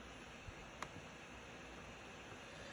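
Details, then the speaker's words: Laptop cooling fan running hard: a constant airy rush with no rise or fall; loud fan noise. The fix shown is adjusting processor power management in Windows advanced power settings; cause not confirmed. "gonna make a video to show you how to make your laptop not make so much noise as you can hear mine's being really loud"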